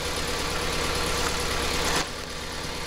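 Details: Toyota Opa petrol engine brought in for misfire complaint: uneven, irregular lumpy idle, one cylinder not firing; coils and plugs being checked by elimination.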